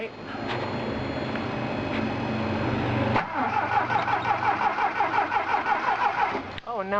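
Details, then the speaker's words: 1980 Triumph TR7 with newly fitted carbs still needing tuning: starter cranks about three seconds without firing, then catches into a lumpy idle; hard start, owner suspects slight flooding. "course it won't start there we go probably just a little flooded i still need to tweak the carbs some"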